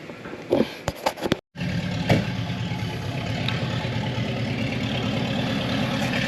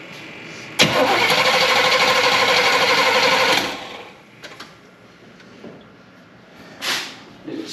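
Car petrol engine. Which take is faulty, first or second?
second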